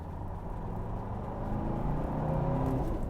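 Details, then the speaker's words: Old Mercedes S-Class SD turbo diesel, 4-speed, pulling out: even diesel clatter building smoothly under light load, no knocks or misses; very smooth, healthy. "Exactly the same as the video in 2016. Just very smooth, very nice, very easy."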